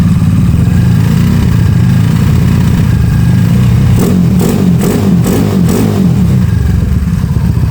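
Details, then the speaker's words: Honda Beat carburetor scooter bored to 130cc, over two years of use, valve guides replaced, racing exhaust fitted; deep even exhaust with crisp blips, no knocks or rattles, smooth healthy engine. "Suaranya juga halus. Suaranya halus, Guys."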